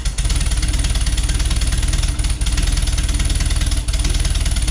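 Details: 1973 VW Beetle flat-four, new remanufactured Bosch 034 distributor, warming up on choke, timing about 8 degrees at idle: even, steady pulsing idle around four beats a second, no misfires or ticking; normal idle.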